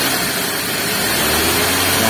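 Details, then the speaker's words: Suzuki Ignis manual, after replacing V-belt tensioner bearing and adjusting fan belt: steady petrol engine at idle then revved, no more rough growling noise that the bearing caused. "ini udah tidak ada suaranya apa yang ngorok seperti tadi ya"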